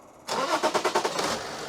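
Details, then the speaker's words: BMW X5 3.0 six-cylinder diesel at 326,000 km, after injector repair; nozzles had been dripping, causing white smoke. It cranks briefly and settles to an even idle with no misfire or smoke. "Araç şu an herhangi bir teklemesi yok duman atması yok Son bir şekilde çalışıyor"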